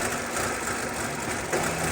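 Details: 2014 Nissan Altima, customer complaint of rough running and not wanting to idle, codes P0011 and P0014 pointing to cam phaser/valve timing control: uneven idle with faint irregular popping or stumble over the steady engine note.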